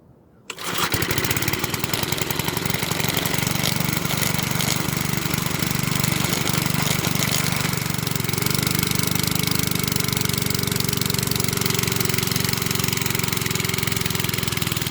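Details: 40+-year-old Briggs & Stratton rotavator, unused about four years, cold start: catches on the pull and settles to a steady, even single-cylinder putter with no misses or knocks; normal running.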